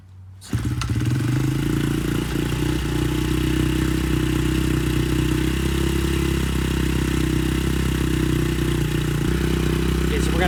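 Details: Honda CRF70F on a newly installed stock carburetor with a new fuel filter and air filter starts on the first try and settles into a steady, even low rumble with no stumbling while warming up before adjustment.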